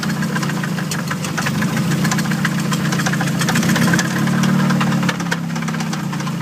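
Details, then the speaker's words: Nissan KA-T turbo engine at a drift day after the manual boost controller popped off, wastegate building boost around 20-25 psi, sputtering mid-course: rough idle with hard, uneven rapping three to four times a second; overboost detonation damage, still runs. "And so anyhow, halfway through the course, you know, it was just kind of blurbing out and shit. But it still runs."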